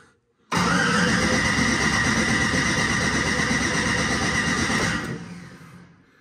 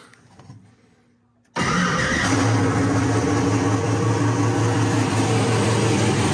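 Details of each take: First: Ford Mustang with single-turbo LS-based L33 engine, first start-up attempt: catches roughly and runs ragged about four seconds then fades; owner suspects low battery or coils plugged in wrong. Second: Ford Mustang with single-turbo LS-based L33 engine, first start after turning off the ignition timing offset: catches at once and settles into a loud, steady, even idle; known vacuum leaks remain.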